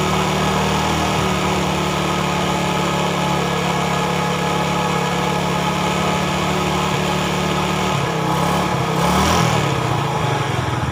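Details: 2010 Yamaha Vega ZR single after rebore with oversize 50 piston, valves lapped, new valve seals and camshaft fitted, cured of rough knocking: steady even idle with smooth low beat, no knocking or rattle; healthy.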